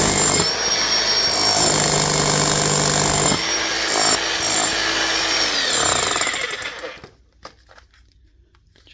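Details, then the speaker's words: DeWalt D25810 chipping hammer tested on a block after repair with new bearings: rapid, even pounding at about four blows per second over a steady motor whine. Gears are worn but still mesh, slightly geary; normal hammering. "So, they'll be a little bit giry, but not all that much. Sounds good."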